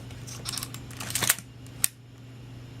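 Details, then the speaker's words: Canon AE-1 Program 35mm film SLR with Canon FD 50mm f/1.8 lens, back open: three crisp shutter snaps, clean curtain travel, no drag or hesitation. Normal shutter operation. "what I thought I'd do here is now open up the back and it can watch the shutter curtain operate a few times no verifying that film transport is working properly"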